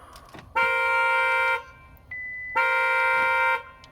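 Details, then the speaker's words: 2022 Hyundai Sonata Hybrid Limited whose 12 V battery dies after a few days parked: two long, even horn blasts about a second each, two seconds apart, as the alarm goes off after jump-starting the completely dead car. "Just what you want at night in your neighborhood."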